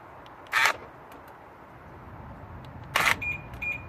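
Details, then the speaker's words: BMW F01/F02 passenger door lock actuator after repair, tested before refitting: two crisp, short clunks a few seconds apart, lock then unlock, each clean and complete; actuator working properly. "obviously I've tried many times before and is absolutely spot-on"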